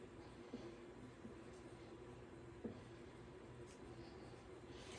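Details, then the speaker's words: Pooboo stationary exercise bike after spraying the outside with WD-40 white lithium grease: quiet pedaling with a low, even hum, a few soft clicks and no squeak, where before it squeaked forward and backward. Quiet pedaling, no squeak. "Seems like the squeaking is not as bad."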